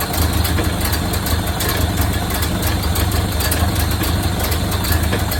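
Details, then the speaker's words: 1929 Ford Model A Tudor four-cylinder, rebuilt after being seized, running for the first time in about 40 years with the radiator not connected: an even, loud, low chuffing idle with no misfire or knock. Normal idle. "It sits there and runs good.."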